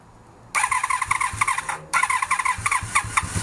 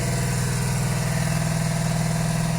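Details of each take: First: 1982–83 Honda V45 Sabre V4 with carburetors, no choke, being debugged for a no-start: catches, stumbles, runs rough with lumpy uneven beats, not on all four cylinders; carbs starved of fuel. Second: 1982–83 Honda V45 Sabre cafe-racer four-cylinder, final start after won't-start debugging, no choke: smooth even low burble with no misses, firing on all four cylinders at idle without adjustments; engine getting hot.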